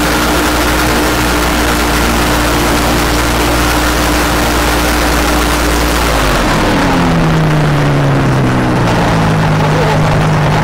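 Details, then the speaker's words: Rotax 503 two-stroke on a Challenger 2 ultralight, revved up then throttle dropped: a rough, uneven low-speed "death rattle". It is internal to the engine, not the belt re-drive, and is caused by four-stroking; hard on the engine. "from an email that I got and it describes what we are listening to and what we're listening to is commonly referred to as the death rattle it's not associated with the belt drive but is internal to the engine it will occur with a Gear Drive as well it is hard on the engine"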